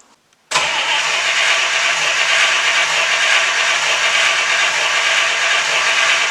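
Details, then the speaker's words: The Godfather car, started after carburetor repair, choke open on a hot day, cranked without throttle: silence, then the engine catches at once and settles into a steady, even run with no misfire; normal start after repair. "see now your carburetor works exactly the way it's supposed to choke open on a hot day you know everything perfect and that's how you do it that's the way car supposed to run"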